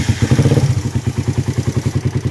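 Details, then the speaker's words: Motorcycle engine with over 66,000 on the clock, after loss of compression, earlier suspected of a connecting rod fault: loud, even clatter at idle; mechanic believes it is a top-end (head) noise, not the connecting rod, and will open it up to confirm. "Ayan, kung naririnig yung mga sir, sa akin hindi to connecting rod. Ayan, ibang tunog ng connecting rod kaysa dito. Malaki dito oh. Tingin ko sa head lang talaga to."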